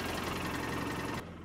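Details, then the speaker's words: 2013 Polaris Ranger with code 651 injector misfire and low power, after replacing the broken injector wiring harness, battery weak: even, rapid twin-cylinder pulsing at idle with no skips. Both cylinders firing, normal idle. "all right definitely running on both cylinders that's good"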